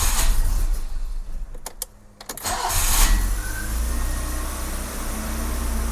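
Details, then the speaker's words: 1984 BMW E30 318i M10 engine with a new starter, vacuum advance capped off, cold before timing is set: brief crank, then a steady even idle with no misses. "right, I must have gotten the distributor back to a decent position. Now I need to get it up to operating temperature."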